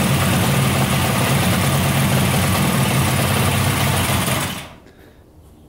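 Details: 1971 Yamaha CS200 two-stroke twin, sat over 17 years, on its first start attempt: thin, uneven beat of about four pulses a second, then it dies. Owner suspects one cylinder isn't sparking; spark was later found and left-cylinder compression read 125 psi.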